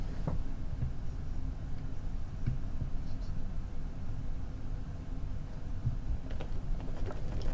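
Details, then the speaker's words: Inventables X-Carve CNC router during assembly, gantry axis moving after tightening loose parts with an Allen key: steady even low hum, no rattling or knocking; smooth, tight normal motion. "people shouldn't be able to hear that that's good because it's not rattling that's how it should be"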